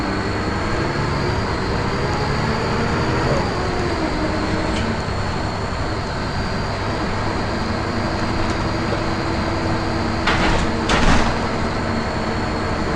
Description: First Manchester Volvo B10BLE, with a strange, high pitched noise.